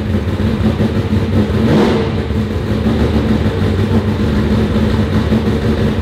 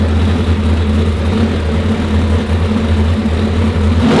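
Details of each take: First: Turbo Trans Am of about 1200 hp on the dyno after fixing a possibly mislabelled sensor (maybe the MAP sensor) that had it running soft. It pulls hard and clean under load with a full, steady roar and no stumble. It sounds better and made real horsepower. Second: Car on the dyno: a deep, steady, laboured drone that never climbs in pitch, with no normal RPM swing. Boost isn't building because the wastegates are held open.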